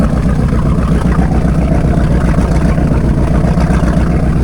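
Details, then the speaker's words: 1978 Hawaiian 21 ft jet boat with a Ford 460 big-block, not run in years, open exhaust without mufflers, at idle: deep, steady, even rumble, seemingly on all eight, though it runs poorly with the choke off. "Music to my ears. That sounds like probably hitting all eight. I don't know. Pretty healthy right now."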